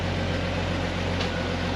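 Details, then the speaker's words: 1999 Jeep Wrangler TJ Dana 35 rear axle after redone bearing replacement, fresh RTV and oil, wheels spinning on the jack; smooth steady low hum with no whine, clunk or grinding; normal differential operation. "It sounds good, I don't hear anything."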